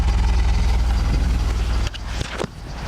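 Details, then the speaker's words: Chevy Cavalier due a tune-up, warm and running hot with the cooling fan on: uneven lumpy idle about four pulses a second with a shaky rumble, a random misfire that worsens as it warms; cause unconfirmed. "hello we could hear that that is not the definition of a smooth running engine"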